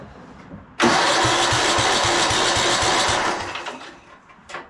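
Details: 1997 Craftsman II rider, 13.5 hp Tecumseh, long-stored, mouse nest, primed with gas down carb: thumps about four to five a second, fires and runs roughly two seconds before fading; wants choke, later flooded, surging; owner says carb clean needed.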